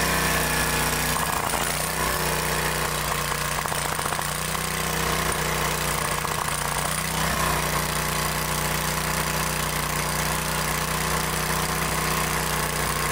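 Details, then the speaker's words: 2-cylinder engine after replacing both intake manifold gaskets: steady, even hum with both cylinders firing smoothly, no skip or lope. "now all I got to do is put it all back together and get it back to them so now it's running on both cylinders"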